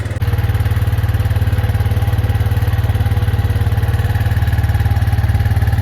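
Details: Arctic Cat 400 4x4 ATV, sat a month with a dead battery; after a new battery, it fires straight up into an even single-cylinder putter with no misses, a healthy idle.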